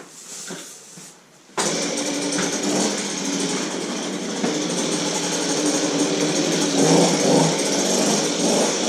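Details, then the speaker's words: Goped-style folding scooter, small two-stroke, reassembled after repair, started on choke: catches after a short pull, settles into steady even high-pitched buzz with no misses or stumbles; runs good, normal. "yeah that's one runs good"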